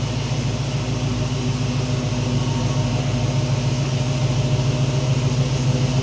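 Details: Vehicle with Sniper fuel injection (about 50 miles on it) finally fixed and running: steady, even low idle with smooth pulse, no knocks or misses; normal idle, though a possible starter-not-disengaging noise was suspected.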